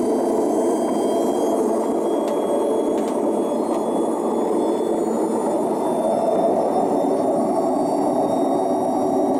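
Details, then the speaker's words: Hoover Nextra HNL6166 6 kg 1600 rpm washing machine on spin; a constant deep roar with a rough rumbling edge and a badly imbalanced drum; worn, very broken drum bearings. "why stain blast available for the spin makes no freaking sense does it sensive car available for the spin it drain yeah pump works B code who about the motor does that work yeah but of course Jesus that terrible B look he's some balance [Music]"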